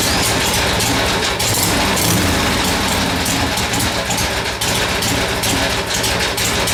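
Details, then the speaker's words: Harley-Davidson Ironhead V-twin first start after top-end rebuild, fresh fuel: loud, lumpy, loping idle holding steady without stumbling; runs properly though carburetor overflow remains, owner suspects sticking float or bad needle valve. "I'm happy with it it's uh running good"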